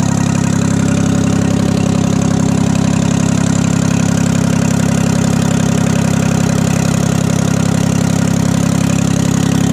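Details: 1968 Detroit 3-53T diesel after total overhaul, still stone cold (engine about 4.5°C, outside -3°C): deep, even, rapid firing beat, no misses, knocks or stumbles; normal idle, good oil pressure, no leaks.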